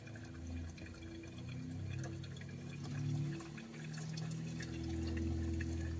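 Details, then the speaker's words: LG single-door fridge with compressor-not-starting issue, after turning on the thermostat: low steady hum with soft gurgling and trickling of refrigerant gas circulation; compressor running normally, no error. "இப்ப on ஆயிடுச்சு பாருங்க sound வருதா உங்களுக்கு இப்ப நான் அதை திருவுன உடனே case circulation sound கேக்குதா"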